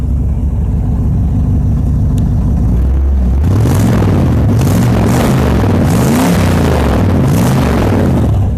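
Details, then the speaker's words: Stock mufflers worn and burned out, no catalytic converter (just a pipe clamped in its place): deep, booming V8 rumble swells loudly with each throttle blip; engine runs decently with great oil pressure, loud exhaust from worn mufflers. "that's stock Mufflers on this car they're just that worn out that burned out it has no catalytic converter didn't have one when I got it"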